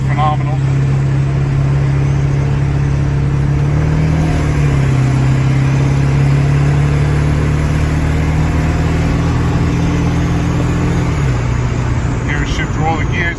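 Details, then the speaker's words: 2001 Ford E450 dual-rear-wheel flatbed, 7.3 Power Stroke diesel, at about 50 mph: loud road roar with a steady low hum shifting pitch slightly. Owner suspects tires; mechanic said tires or rear diff, unconfirmed. "Like I said, you hear the noise. I believe that's a tire noise. Again, I'm not a mechanic."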